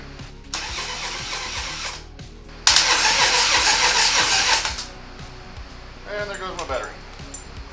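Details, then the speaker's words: Harley Dyna that broke down on a trip and won't start; fuel flow confirmed, little fuel in tank: two cranking bursts, the second long and loud, turning over without firing and fading as the battery dies. "battery's dead now so I'm gonna let that charge and uh I guess try again sounds like it's trying to start so that's at least something"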